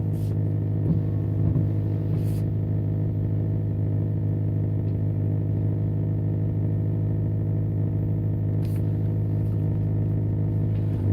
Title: E90 m3 buzzing noise